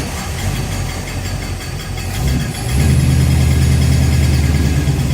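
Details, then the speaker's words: 1969 Plymouth 318 V8, first start after engine teardown and rebuild to replace rear main seals: deep steady idle drone with a beat about three per second that swells as idle rises; abnormal idle noise, cause unknown. "I think I found the single worst sound you would ever want to hear after starting it back out I need some help what is this sound please if you know let me"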